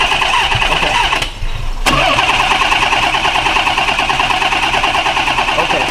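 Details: 1990 Nissan 300ZX that died after a coolant and heater core flush and 15 minutes of running. Compression and spark tested good. Starter spins steadily at about three turns a second but it never fires; owner suspects a loose sensor, the crank angle sensor or fuel.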